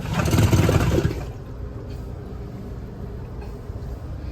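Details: 2023 Thor Aria RV electric toilet on a 12 V battery at 11.6 V: a loud rushing flush surge, then a rough, uneven churning hum at about four pulses per second. The macerator pump is loose in its mount.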